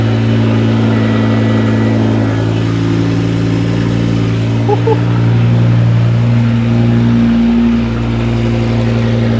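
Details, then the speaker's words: 2006 BMW M5 E60 with a replacement used S85 V10, first start with the exhaust off after fuel took a moment to prime. Loud open-header V10 catches and settles into a smooth idle with a couple of blips; runs clean, no issues underneath. "But man, it runs. It actually ran really smooth and we didn't have any issues underneath."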